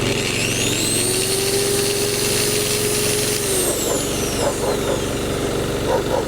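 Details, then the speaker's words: Single-cylinder petrol generator that had fluctuating rpm, repaired with a new jet, rubber seals and gaskets and a loose or stretched linkage moved to the correct hole: holds a steady, even note driving a 1400 W angle grinder, no hunting or surging. "Well, basically, everything works."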